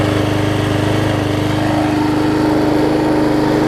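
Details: Six-horsepower Quantum-type Briggs on a 20-inch Murray mower, run outdoors after cleaning the carburetor bowl and jet. Holds a steady, even note with constant pitch and no stumbles or surging; normal running.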